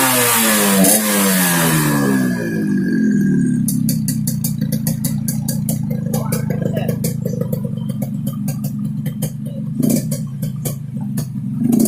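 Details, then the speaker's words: Yamaha RX King two-stroke, second test, revs up then settles with a rough rattly snore and scattered sharp clicks over the exhaust; snoring noise at rev, carburetor noted slightly wet, cause not pinned down. "Oke kawan, itu saja ya. Ini contoh suara ngorok Ereking Aceh, khususnya Lux Mame."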